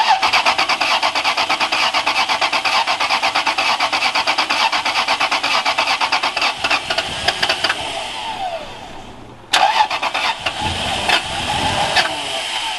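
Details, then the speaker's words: Lexus LS430, abandoned car, first start after finding the low pressure fuel pump plug unplugged: long cranking, a pause, then it catches and runs ragged and uneven, as if on only a couple of cylinders; rough running after start. "It sounded like it was on a couple cylinders. What the heck?"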